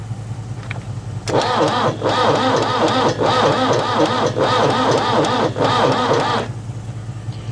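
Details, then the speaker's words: Engine with a new battery and jump start, worn solenoid lugs: about five seconds of slow, labouring cranking with uneven pulses that never fires; turning over too slowly to start, cranking no-start. ">> It's never going to start turning over that slow."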